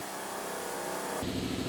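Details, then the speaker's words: New shop air compressor running, good oil pressure, filling tank toward 170, thought to take about 4–5 minutes: steady, even motor hum, running smooth and healthy. "I mean, you listen, it's still running, still doing its thing, still driving, and I am so happy."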